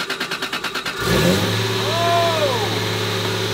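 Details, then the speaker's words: 1993 Toyota Supra, neglected and carrying a full tank of fuel: about a second of rhythmic cranking, then the engine catches, revs up cleanly and settles after the distributor plug was pushed on further to restore spark. "so if your uh Supra is not sparking uh try pushing the distributor plug on a little"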